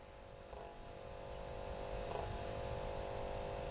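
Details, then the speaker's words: Ford Focus ST with codes P0299 and P0456, battery just reconnected, ignition on: faint steady electrical buzz, owner unsure of source, thinks battery-related. "that I don't know what it is it's like a battery sound or something"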